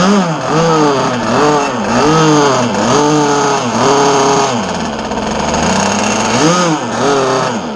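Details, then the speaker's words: Zenoah 30cc two-stroke RC boat engine after warm-up: revs up in short bursts but sags and bogs at about 3/4 throttle instead of holding speed; low and high carburetor needles are then adjusted. "Okay, I killed that because I was giving it gas and it was like bogging."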